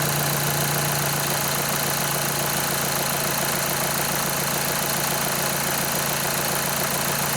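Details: 2011 VW Jetta 2.0 TDI, towed in as a no-start with low fuel pressure codes, starts after fuel pump activation basic setting; even diesel clatter at steady idle with no misses or hunting.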